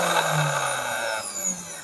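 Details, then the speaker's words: Mixer grinder motor, customer complaint of no power and growl, wires connected directly bypassing switch; rough buzzing growl over motor hum before winding down, likely caused by worn internal bushes, to be replaced. "గర్ అన్న sound వస్తుంది అది ఎందుకు వస్తుంది అంటే లోపల ఉన్నటువంటి బుష్లు పోయి ఉంటాయి కాబట్టి ఆ గర్ర అన్న సౌండ్ వస్తది"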